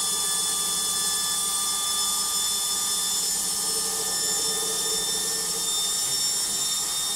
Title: LOGIK Washing Machine Final Spin NOISY